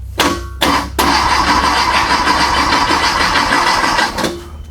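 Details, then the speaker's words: A freshly built VW/Porsche Type 4 flat-four on a test stand at first fire: two short starter bursts, then about three seconds of steady cranking that never catches, with no oil pressure yet. Cause: no power to the ignition. "Huh. That's what the problem was. What was our problem? We don't have any power going to the"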